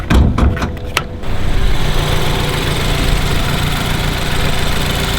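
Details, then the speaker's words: BMW F30 328i awaiting engine swap, running at idle with check engine light recently on and heavy blow-by smoke from the engine: uneven, lumpy idle with deep unsteady rumble after some clatter; rough idle, cause not confirmed. "and as you guys can see it is running but it is running kind of rough and the check engine light actually just popped up recently"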